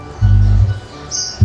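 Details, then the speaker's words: Sony SA-D40 / SA-WMD40 subwoofer with a no-sound fault: a deep, loud hum starts each time the amplifier input is touched and stops on release, so the amplifier section is OK and the no-sound fault lies elsewhere. "Touch कर रहे हैं दोस्तों। इसका मतलब दोस्तों ये जो हमारा एम्पलीफायर सेक्शन है दोस्तों, ये ओके है, लेकिन साउंड क्यों नहीं आ रहा है दोस्तों, ये हम देखेंगे इसमें।"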